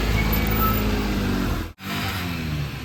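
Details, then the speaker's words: Tata Nano that starts fine but, owner suspects, has a gone clutch plate; pulling away in first, engine drones high under load with little gain in road speed, struggling over a small culvert. Clutch slip. "पर अब problem आती है, अब मेरे को लग रहा है इसकी क्लच प्लेट गई।"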